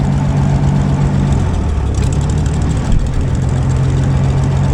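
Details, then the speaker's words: Gleaner A combine's old engine after rewiring a rat-chewed power wire to coil and fuel pump: deep, steady drone at even speed, no misses or knocks, about 10 lb oil pressure if the gauge works; runs, moves, steers, brakes work; sounds pretty good. "engine sounds pretty [Music] good not too bad"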